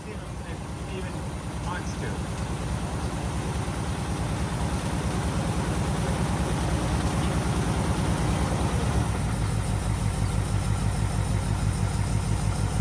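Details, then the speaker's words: 1948 Cadillac idling after first start in 21 years: deep, steady, even low rumble that builds slightly then holds smooth. Fires right up and purrs; normal idle. "Can't believe how well the car runs. I mean, it's sat for how many years? And it just fires right up and purr like a kitten."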